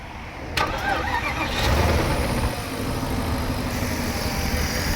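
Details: Porsche Cayenne Turbo 955 after coolant leak repairs and rerouted vacuum lines, with no leaks or warning lights: cranks briefly, catches cleanly and settles into a steady, even idle with no knocks or misses; a healthy start.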